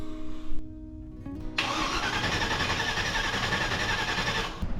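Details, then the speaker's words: V8-swapped mini truck, first start attempt with temporary exhaust: starter cranks steadily about three seconds with even chugging but no firing; no spark because coil negative wire was left unconnected. "let's see if we got spark here got no spark why we have no spark see if you forget to wire up the nega"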